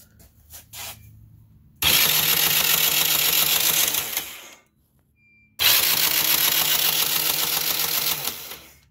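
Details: Yamaha Raptor 660 cranking in two bursts: a fast, even starter whirr with no slowing on compression strokes, so the engine spins freely with no compression.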